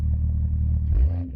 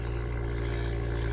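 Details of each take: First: BMW M2 with factory M Performance exhaust, Bluetooth-controlled rear muffler valves open so gases bypass the muffler straight out the back; repeated throaty blips rising and falling with throttle, deep open note without rattles; normal healthy exhaust. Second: BMW M2 with M Performance exhaust, cold start raised idle: steady low drone with buzzy overtone, annoying vibration occurring twice per warm-up cycle, gone once warm; suspected install issue, not confirmed.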